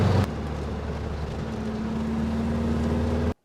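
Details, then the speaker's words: VW Beetle after its blocked fuel hose was cleared (before, it stuttered and topped out at 40 mph): steady engine drone cruising at 60 mph on light throttle, with no stutter or hesitation. Normal cruising. "brilliant cruising long the 60 no problem at all and I'm not really pushing the throttle too much either got loads more left"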